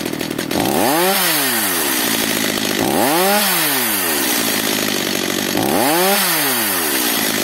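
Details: Stihl MS 230/250 chainsaw (probably owner-repaired earlier) that starts hard and stalls, with a very light pull as if low on compression. After mixture and idle adjustment, revs rise and drop three times with lazy, uneven pickup; it runs only marginally. Filters fully clogged.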